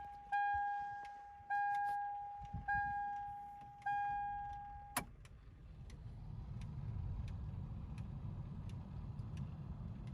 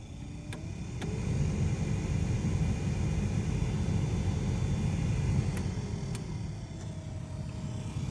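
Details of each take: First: Aftermarket VDO blower motor (made 08/2013) replacing the original 20+-year-old factory Denso unit in a Toyota Tacoma: steady soft air rush with a faint low hum, much quieter than the old one; normal blower operation. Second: Toyota Tacoma passenger-side blower motor with the air on: a steady droning hum with a thin tone over a low rumble. A noisy blower motor.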